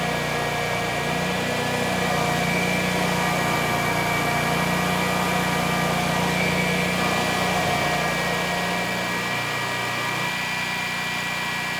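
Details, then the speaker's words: About 10-year-old Generac XG10000E generator with only 12 minutes' use, after carburetor repair for fuel left in it: steady drone that briefly dips and wavers as the engine occasionally stumbles, with THD jumping; carb issues still suspected. "all right so far so good although the engine I do hear it stumbling once in a while so I'm thinking we do still have some carb issues"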